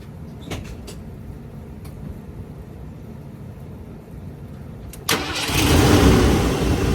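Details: 1990 Ford F-150 after starter solenoid replacement that fixed a no-crank: silence, then a quick crank catches and settles into a steady, even idle; starting now healthy.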